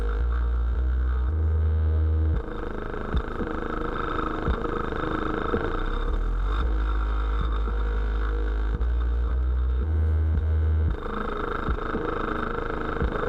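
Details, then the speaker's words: Sundown Audio 12-inch 500 W RMS subwoofer on a SoundStream TXP1.3500D amp at low power: bass thumps unevenly with a rough buzzy edge; distorting, cause unclear, adding polyfill to the box made it sound worse. "so i've added poly fill to the box so far that didn't clean up anything it actually sounds like it made it worse by adding polyfill which it should not do if anything it should clean it up"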